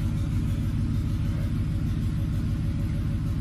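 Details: 2007 Ford F-150 5.4L 3-valve V8 with a cylinder 2 misfire (P0302) caused by a loose spark plug, now fixed, idling to clear out. Deep, even V8 idle with a steady pulse and no skips or stumbles; all cylinders firing cleanly.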